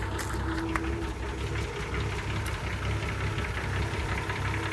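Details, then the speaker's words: 1966 Ford F100 barely holding idle: irregular low thumps and loose knocking rhythm under the exhaust; engine knock at idle, source unconfirmed. "And it's just incredible how this car just, I mean, it's got a knock or something in it, but it's got good battery."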